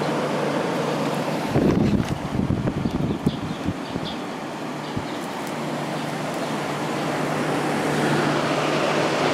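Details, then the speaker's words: Vintage 1989 Climatrol (Fedders) 8,000 BTU air conditioner with Samsung fan motor, fan-only mode, side panels off: soft steady low drone on low fan speed, very quiet, some handling noise; running normally. "And I'll go to low fan. Very quiet."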